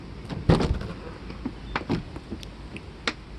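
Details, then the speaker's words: 1995 Mercedes S600 coupe (W140) from Florida, central locking cycled with key: a few separate thunks and clicks as locks react, but the driver's door will not open; driver's door lock actuator judged bad. "driver's door does not open, so obviously the door lock actuator is bad."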